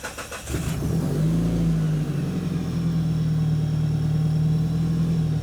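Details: Big-block engine on a dyno, with oil checked, a fresh battery and a Subaru throttle, at start-up: a brief crank catches at once, then a deep, steady low drone settles in with an even beat. A clean, healthy start with no knocks.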